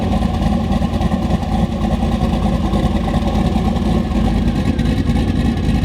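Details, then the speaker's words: Volvo 240 wagon with a 1000HP-capable LS and open downpipe, first start on a Holley ECU: loud, steady 800 rpm idle at 13–14 AFR with 47 psi oil pressure; a deep, even exhaust beat with no knocks, misses or ticks. "Already the Holly's got it idling like perfectly. 800 RPM, 13, 14 AFR."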